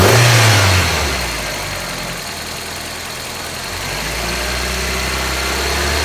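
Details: 1995 Geo Prizm during a vacuum test with a handheld gauge on the intake port: the engine revs then sags and stumbles when throttle is applied, bogging even with smooth steady throttle; slight fuel smell noted, cause unknown.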